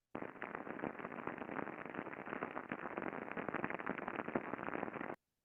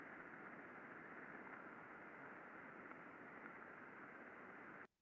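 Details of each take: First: very very easy for me to identify that there is something that needs to be addressed here whether it's contamination whether it's lack of lubrication whether it's an early bearing fault Second: 5sec recording very smooth very quiet no problem found second bearing very smooth very quiet nothing really going on here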